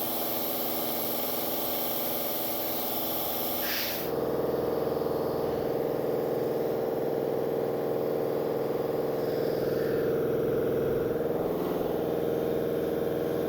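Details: New Industrial Air IL1682066 two-cylinder belt-driven compressor, 110/220V motor, on 12-gauge extension cord, first run on auto: even pump beat about three and a half per second settling into steadier hum as pressure builds; normal running.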